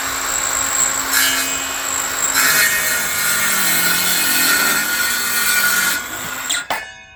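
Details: Parkside 20V cordless circular saw (PHKSA 20-Li A2 or C4) on 2Ah battery cutting timber: high whine dips under load as blade bites, recovers, spins down cleanly; normal strong cutting.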